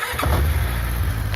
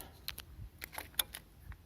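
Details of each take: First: 1994 Yamaha 600 Diversion with a new battery. The starter turns briefly, then the engine catches at once and settles into a smooth, even idle; a clean, normal start. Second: 1994 Yamaha 600 Diversion, cold start; cam chain has no tensioner and valve clearances need adjusting: after a few clicks it catches and idles with light fast ticking; valve clatter, heavy when cold and inaudible when warm.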